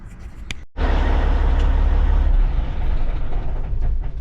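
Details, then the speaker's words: Semi truck with a Cat engine and an intermittent no-start, checked for whether the ECM sends proper power to the starter: diesel catches after a brief silence into a steady, deep, even rumble with no misses or knocks, running normally. "as you can hear the truck was running normally"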